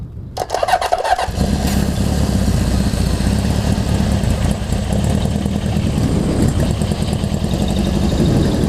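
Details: Honda CB750 four after a full engine and carb rebuild, first start for a test ride, cold (about 50°F), no airbox: the starter cranks briefly, then the engine catches and settles into a steady even idle with no misses or clatter; normal idle.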